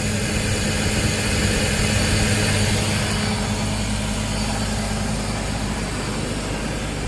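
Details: 2006 BMW X5 straight-six at idle after the failed fan clutch, whose oil had all gone, was replaced: steady idle under a strong, even rush of fan air with no flutter or rattle; engine and new fan clutch sound healthy.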